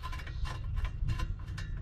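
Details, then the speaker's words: 2012 Chevrolet Malibu wheel bearing, removed and turned by hand: uneven clicking and gritty bursts, rough rotation; bearing is worn and being replaced with a new one. "Hear that? Yeah. Bad bearing."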